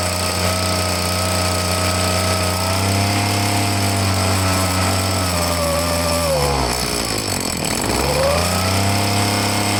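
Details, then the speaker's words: Handheld two-stroke blower, choked, buzzing unevenly with pitch sagging and stumbling, won't rev cleanly; owner says it's no good and plans to take the carburetor apart. "It's no good. Alright, it's no good. I'm gonna have to take the carburetor apart and see what's going on with it."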